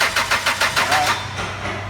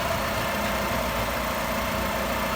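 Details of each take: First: 2004 Chrysler Sebring 2.0, crank no start after new computer, cam and crank sensors: starter cranks in even beats, six or seven a second, never catches and winds down; new cam sensor shorting 5-volt reference circuit to ground. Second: 2004 Chrysler Sebring 2.0 after crank-no-start diagnosis, where the new cam sensor was shorting the 5-volt reference to ground and was bypassed with a test light: steady, even idle, smooth hum, faint constant tone, no stumbles; engine running properly.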